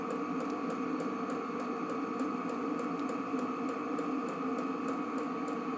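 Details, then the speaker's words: New Vevor 8 kW diesel air heater in garage, set about 25°C, outside 9°C: steady fan roar with crisp even tick about twice a second from the dosing pump; running normally. "donc là j'ai réglé la température vers 25°gr à peu près donc il tourne à moy normalement on va dire voilà donc on entend tac tac je sais pas si on l'entendz on entend la pompe"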